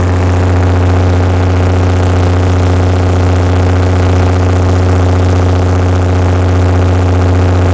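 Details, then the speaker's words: Perkins six-cylinder diesel generator after recalibrated injectors, new fuel filters and cleaned injection pump, under about 45 kW load at 60 Hz: deep, steady drone with no hunting, misses or knocks; governor issues still noted. "okay so that right there proves we've got enough horsepower to maintain 60 hertz at 45 kilowatt"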